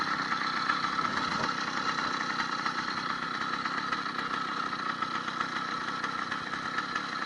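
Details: 80cc two-stroke motorized bicycle after a needle-bearing wrist pin kit, new piston and unbroken-in rings. Revving steadily with a crisp, even buzz and no knocking or rattle; the owner hears a dramatic difference and way more power. Healthy.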